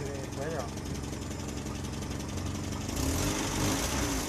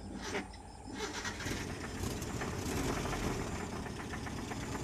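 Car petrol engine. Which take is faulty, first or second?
second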